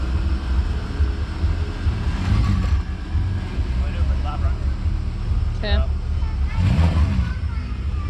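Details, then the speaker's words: "Savoy" after repairs so nothing melts again: steady deep exhaust burble at idle, smooth even five-cylinder firing, no knocks or misses; starts, runs and drives perfectly, sounds like an R32. "so the good news is the car runs perfectly, starts no problem, drives and sounds great. It sounds like an R32."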